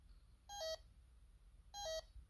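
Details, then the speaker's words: Bosch D7212 GV2 commercial alarm panel with a simulated shorted smoke detector: short double-pitched trouble beeps repeat about every 1.25 s. This is the fire trouble tone, which Command 4 silences only until the fault is fixed. "Let's say the smoke detector is shorted. Fire trouble. And it'll tell you what's wrong."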